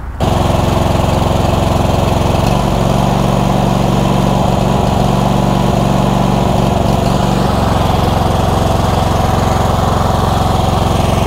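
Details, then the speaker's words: Cub Cadet GT2 LX42 lawn tractor with a 22 hp twin, running after the auto choke was reconnected; surging reportedly occurs when warm. The loud drone beats unevenly and stumbles as one cylinder cuts out, then recovers. "so one cylinder is it going down to one cylinder i think it might be cutting out on one cylinder just you know based on the weirdness of that i cannot imagine any other reason for what's going on there"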